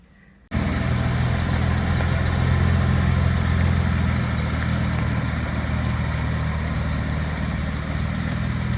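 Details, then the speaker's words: 1962 Jaguar E-Type 3.8, original unmodified wiring harness, first start after new exhaust, radiator and fan and oil priming: quick start settling into smooth, even idle with no knocks or misses; sounds healthy. "the harness was totally intact it was uh it wasn't modified at all and so that's what we get a nice running car"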